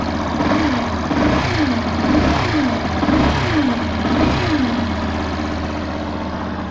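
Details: 2016 Yamaha Fazer 150 at idle with a rhythmic whooping growl about twice a second; the noise stops when the stator's white-wire connector is unplugged, so it is a stator fault needing replacement, preferably with an original Yamaha part.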